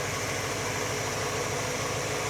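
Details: Warm V8 idling smooth and even with a steady low burble and some hiss on top, after vacuum advance change raised idle about 200 rpm and AFR was leaned from rich; idle and mixture sound properly set.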